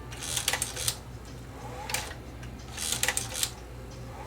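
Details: Sony SL330 Betamax (711B3 chassis) after repair: the jamming motor was run at limited current for about 15 minutes to polish its contacts. Crisp mode-change clicks with short whirrs between fast forward, stop and play; cycles cleanly, no stall or jam.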